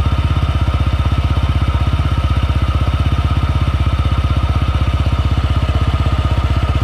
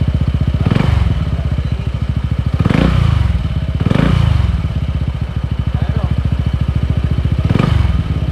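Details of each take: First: Honda PCX 160 scooter idling on a morning cold start: noisy, ugly faint raspy scraping from the CVT belt-drive side, caused by loose variator slider pieces. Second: Honda PCX 160 scooter after fitting Honda Click 150 slider pieces in the CVT, previously scraping noise near the pulley: steady low idle, briefly revved, no belt-drive rattle; normal CVT idle.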